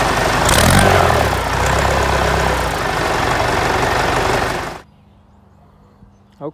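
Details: Ford 4040 industrial diesel tractor before injector rebuild: clatter about four beats a second with an uneven chuffing miss before shutting off, puffing smoke; misfire from faulty injectors, number two streaming fuel instead of atomizing.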